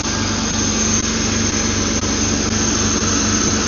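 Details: BMW E36 323i Touring with M52 six-cylinder, first start after swapping on a Schrick intake manifold (fuel rail tabs cut): smooth, steady idle with an even low hum, no misses, knocks or hunting, and no fuel leaks seen.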